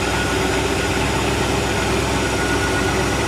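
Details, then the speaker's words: 1986 Shamrock 20 boat, Ford 302 V8 unstarted for 3 years, running again after priming the dry carburetor bowl with fuel pump working: loud, even low rumble, no misses or knocks, water flow good; smooth normal idle. "Boy, sounds really smooth. It feels like it's running. So, oh yeah, it's getting fuel."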